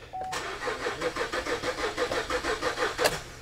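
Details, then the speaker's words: 2009 Buick Enclave with rodent-damaged fuel pump module wiring and no-communication fault: slow, labored cranking at about three compressions a second that never catches; weak battery cannot spin the engine fast enough. "so the battery's weak um what's our battery life looking like on this we're doing okay"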